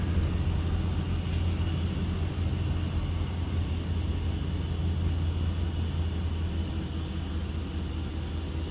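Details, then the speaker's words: 2005 Dodge Ram 1500 4x4 on the road after a salvage-yard 2003 rear axle swap; the original was noisy under throttle, pinion suspected. Steady low road rumble, no whine, howl or grinding from the rear axle. Healthy differential. "sounds very good so far no grinding no rattling oh man this is great"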